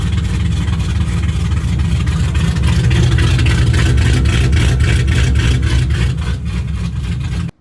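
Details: 2006 Mustang GT V8 on first start after an engine rebuild with new mods: ran really rich, loud lumpy rumble that evens out into a smooth, settled idle.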